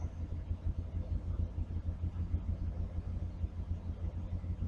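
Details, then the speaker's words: 1981 GMC C10 square body pickup at idle after fitting and clamping an extra exhaust pipe section: soft, deep, even burble with no rattle or drone; exhaust sounds sealed and healthy. "Well, there's no more rumble. But it sounds like a"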